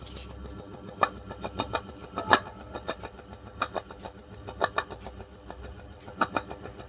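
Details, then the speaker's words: Running ceiling fan gives uneven clicks and knocks over a faint hum, louder at the blades; worn bearing seat, fixed without replacing the bearing. "तो दोस्तों, आपने देखा ये ceiling fan किस तरह की आवाज़ कर रहा था और पंखड़ी पे कुछ ज़्यादा आवाज़ करता है।"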